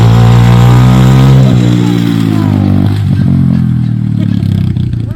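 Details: Revived ATV with fresh gasoline and the choke partly on: it catches and runs with a strong, even low beat, revs dip slightly then settle; sounds healthy and runs properly.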